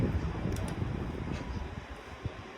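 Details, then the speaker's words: 1991–92 Patton 12-inch high-velocity fan spinning down after oil was added to the front bearing: a soft whooshing hum fading smoothly with no scraping, longer than before. The bearings turn freely and are not the noise issue. "I like how it spins counterclockwise. Should be a little bit better now that I've given it some more oil in the front bearing cuz the bearings is not the issue."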